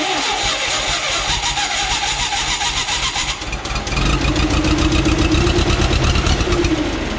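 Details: 1976–77 John Deere 170 skid steer with Wisconsin engine, carburetor ultrasonically cleaned, carb filled via new smaller clamped fuel line, battery booster: cranking chatter, engine fires and settles into a steady uneven idle with rapid exhaust pulses; starts and runs.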